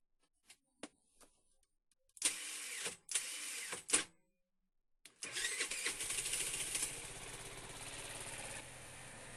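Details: Chinese scooter with an AC-type switch (commutator), cold weather: a few slow, labored starter whirs in bursts, then a thin hiss with no catch; cranks but never fires on the starter from weak spark.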